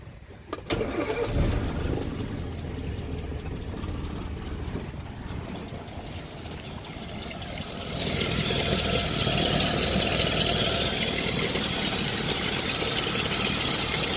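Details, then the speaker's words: Land Rover started after adjusting all valve tappet clearances with feeler gauges: cranks, catches quickly, settles into a steady, even idle then picks up smoothly; no loud tappet tick, valvetrain sounds normal. "Oh, doesn't sound all that bad."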